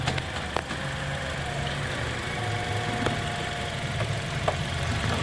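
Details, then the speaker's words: Toyota Corolla Altis, hood open, creeping forward slowly (noise also in reverse): low engine hum with a faint steady whine and scattered clicks from the front centre; mechanic suspects then confirms the automatic transmission. "pinaban ko itong hood mga boss tap paandarin ko yan na nakabukas itong hood dahil nga ang Sus ko dito is galing sa transmission yung in Sige abante"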